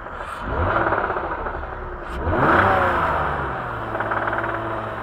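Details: BMW E39 with M54 engine: engine blips up and down with a light metallic rattle on each rev; knock when revving, cause not yet pinned down.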